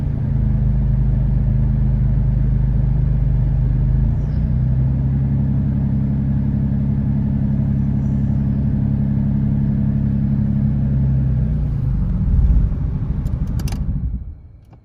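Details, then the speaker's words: 2013 Dodge Durango 3.6L V6 idling, then shut off, with P0300: deep rumble with a lumpy pulse about three times a second as cylinders 1, 3 and 5 misfire despite new coil and plug; 2, 4, 6 clean; cause unknown. "there's no misfire but there other the three two one three and five they pretty bad they all misfiring"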